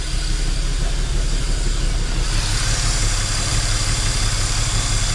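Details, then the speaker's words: BMW N54 turbo petrol engine after an 800HP+ fuel system install, idling rough with audible intake sucking hiss, misfiring and backfiring; AFRs okay but bank one running way too lean because the intake manifold was not sealing on the head. "let's see if it'll idle you can hear it sucking okay afr's are okay but misfiring backfiring hey manifold's leaking bugger"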